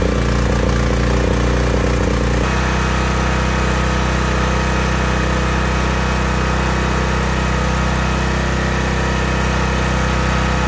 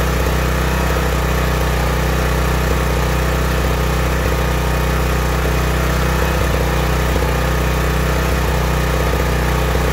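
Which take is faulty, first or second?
second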